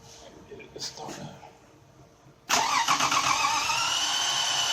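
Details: Toyota Camry 1MZ-FE engine cranking, mic close to engine: uneven cranking about four beats a second, compression coming and going; vacuum test pushes pressure back, owner suspected intake valves or head gasket; broken timing belt.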